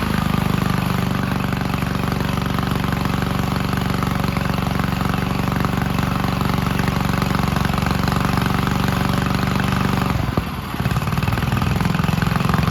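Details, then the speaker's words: 1951 Gravely Model L garden tractor single-cylinder, running after fitting a hotter backup magneto (original gave weak spark) and cleaning an oil-filled carburetor; steady even chuffing, firing every stroke, a short dip then picks up cleanly; normal running. "but let's go ahead and throw this backup Magneto in the tractor and see if it's going to start we're outside the new Magneto on let's see if it's going to run"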